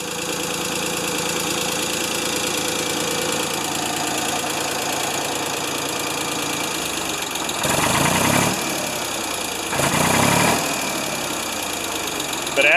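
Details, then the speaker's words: Ford 2600 petrol tractor, cold start after sitting about a year, choke on: rough running with a dry clatter swelling on acceleration; owner doubts a bearing, suspects timing or spark knock, and a loose, flapping valve needs adjusting. "it's accelerating you can hear it see if we can unchoke it now here I don't know what it is but I think it's okay like I said my diesel version of this tractor makes the same noise"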